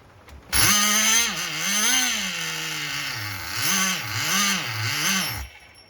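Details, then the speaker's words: Nitro RC engine after retuning and fuel changes: high buzzing idle hunts up and down about once a second and won't hold steady; owner suspects fouled glow plug and lean mixture, idle changing when glow igniter removed. "you hear how the idle changes when I take the glow igniter off we might have fouled out the glow plug from changing fuels so many times I think she's actually leaning and shutting off now"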